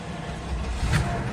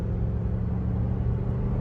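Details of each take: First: Flooded Cadillac DeVille Northstar V8 fires right up after sitting: uneven rumble with a little misfire, typical when it hasn't run for a while; check engine light on. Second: Flood-damaged Cadillac DeVille with a 32-valve Northstar V8; coolant temperature is steady and it shifts perfectly despite a TCC code. Driving under light load, a smooth, even low rumble with no knocks, ticks or misses. Normal running.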